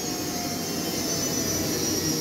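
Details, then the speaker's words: Rebuilt Whirlpool washing machine (new bearings, brushes, heater and pump; motor cleaned) in service-test spin: a thin high squeal over the steady whoosh from the new motor brushes bedding in; normal, and it will fade once the brushes are run in. "Слышен такой писк. Данный писк вызван щетками на двигателе. Они были заменены, новые. Идет притирка их."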